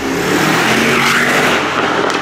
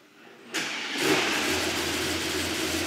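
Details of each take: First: Mercedes GT63 AMG (640 hp V8) after full engine rebuild, first drive: strong, clean V8 pull with pitch climbing smoothly under acceleration, no knocks, misfires or rattles, no engine warning lights; healthy engine under acceleration. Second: Mercedes GT63 AMG V8 at its first start after a full engine rebuild and oil priming: the starter catches into a loud, slightly uneven idle with a wavering beat; rough running, cause not confirmed.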